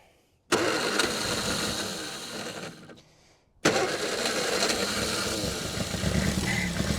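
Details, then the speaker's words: 1960 Triumph Herald dormant 42 years, first run after correcting the owner's mistake: catches and runs a few seconds, fades, fires again and keeps running with an uneven beat; engine now runs. "Hey, we're running. Well, we're running."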